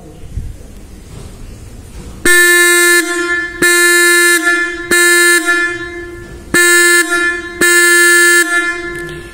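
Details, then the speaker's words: Bike electric horn with a holed plastic bottle cap tightened over the nut, third tone variation: five loud steady buzzy blasts about a second each, bright slightly altered tone. "This is the third voice"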